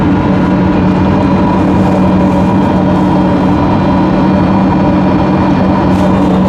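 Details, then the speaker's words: New Webasto Thermo Pro 90 diesel coolant heater replacing failed Eberspächer on a Demag AC220 crane, first firing with coolant flowing; steady, even burner roar with constant low hum, no pulsing or sputtering, initial smoke from pipe only, combustion normal. "Have flow. She's roaring away."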